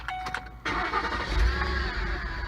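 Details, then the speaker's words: 2006 Ford Explorer Eddie Bauer V8, engine start to idle: thin squeal over engine, loudest near the idler pulley; worn belt tensioner/idler pulley bearing squeak, power steering doubted. "right that's the sound that a lot of guys hear everybody makes a video about replacing pulleys and pulley bearings well this is going to be ours"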